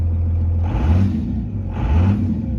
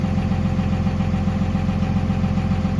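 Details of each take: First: 1998-2002 Dodge Ram 5.9L 24-valve Cummins diesel just after head gasket replacement, idling: steady low rumble with two brief hissy gurgling surges from residual air in the heater core, expected to work its way out. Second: 1998-2002 Dodge Ram 5.9L 24-valve Cummins diesel idling just after head gasket replacement: even, steady idle with regular low clatter and no misses; healthy.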